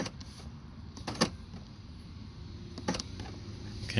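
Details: 2017 Toyota Yaris door locks checked after refitting the driver's door panel and replacing the left power mirror: three crisp, quick, even clunks with no grinding or hesitation; the lock actuators work normally.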